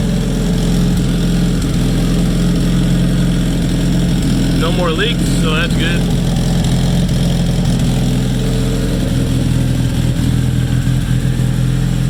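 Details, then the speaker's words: Freshly rebuilt Nissan KA24DET at first start, low idle drone wandering slightly; owner says vacuum leak from untightened lines to the blow-off valve causing jumpy rpm; oil pressure good, no obvious leaks. "i definitely have a vacuum leak because i didn't tighten all the [ __ ] going to the blowout valve so [Music] i should probably tighten that because i'm not digging the jumpy rpms right now"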